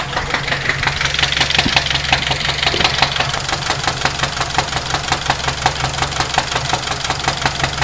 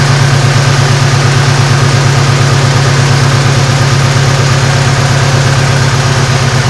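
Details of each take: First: 2006 Saturn Ion warmed up at idle: sharp, rapid, steady top-end ticking over the engine hum, described as terrible and upper end. Engine was ultimately replaced. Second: 2006 Saturn ION after engine replacement, first start: initially misfired and shook, then smoothed into a steady even idle with a deep loud exhaust and no knocks or misses; the engine is quiet and sounds healthy.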